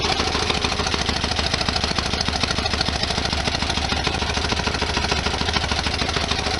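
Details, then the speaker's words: 1973 VW Super Beetle after STP oil treatment caused very high oil pressure and a jammed oil cooler bypass valve, with new plunger fitted; fast clatter about three ticks a second over rough idle, suspected noisy lifters, possible engine damage. "it doesn't sound right with all kinds of valve fire and stuff"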